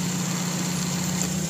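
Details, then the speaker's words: Car idling after AC compressor clutch replacement, with an extra shim added to reach the specified air gap: a steady, smooth hum with a clean engagement and no rubbing or scraping. Normal compressor clutch operation. "Dapat ganun ka-smooth yung operation."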